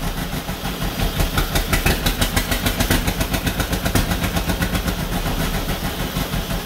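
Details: 1949 John Deere B two-cylinder, first start after engine rebuild: lumpy, uneven beat around two pulses a second that stumbles and won't settle; rough running with vibration; cause not confirmed.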